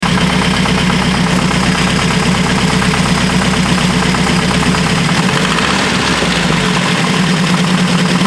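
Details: Opel GT stroker engine at idle: loud, rough running with a dull, uneven knock; owner fears a spun bearing, unconfirmed.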